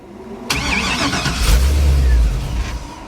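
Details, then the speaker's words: 1957 Chevy with Holley system still learning, first drive out of the shop under its own power: catches with rough uneven burst, revs briefly, then sags; reluctant start, cause unknown. "all right let's see if she'll crunk up they don't like to start I don't like to start for some reason"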